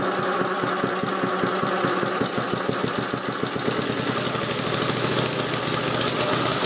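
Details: Old Webb cylinder mower with Briggs and Stratton engine, started cold on about three-quarters choke with a little throttle: small single-cylinder picks up and settles into a steady, even, fast firing beat, running normally.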